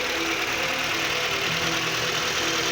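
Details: 1989 Mazda 323 (BF), engine idling with the AC and both fans off: steady, even idle with a smooth hum and no knocks, misses or fan roar. Normal running; the cooling fan staying on with the key off was a miswired power feed.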